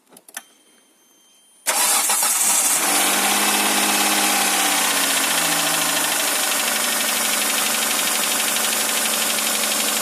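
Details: 2008 Hyundai Santa Fe 2.7 engine knock: after cranking it catches and settles to idle with a steady tapping at about four per second inside the engine.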